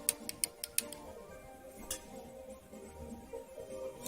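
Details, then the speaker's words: Logitech G500 mouse after the failed middle-button SMD switch was desoldered and a new one soldered in. Five crisp quick clicks, then two spaced single clicks, each sharp and loud; the new switch snaps cleanly and works normally. "and then we have the snow new widths in place as you can hear very loud click"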